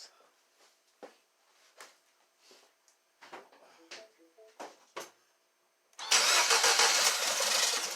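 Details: 2012 Mini Cooper Countryman after bottom-end rebuild for P0304/P0300 misfire, restarted after reconnecting unplugged number one injector: light clicks, quick catch, then even steady idle with no stumble or misfire despite an oil leak; normal idle.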